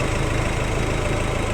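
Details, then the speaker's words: Nissan Navara diesel idling after A/C compressor and filter replaced; steady low even beat, no squeal or grinding from compressor, engine noise gone. Normal idle after repair. "Ayun. Wala nang ingay yung makina. Pinalitan na namin ng bago ng compressor."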